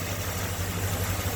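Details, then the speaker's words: Ford V8 after swap to original 351CJ intake and 4300D carburetor, idle set with idle solenoid: low, steady, even idle with no stumbles, hunting or ticks; carburetor running well, no leaks or drips. "Beautiful. Running beautiful. So, no leaks, no drips, no runs, no errors, nothing. Just a good running carburetor."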